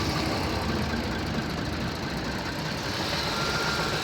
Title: Стук в двигателе 1JZ-FSE